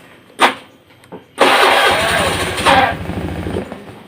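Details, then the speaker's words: Honda Beat FI scooter still sputtering after service, new fuel pump filter, cleaned throttle body, new spark plug and coil: engine catches, runs roughly, then dies when throttle applied. "nih itu begitu saya Dash ini beatnya malah langsung mati rumah kita ulang lagi kita hidupkan kembali"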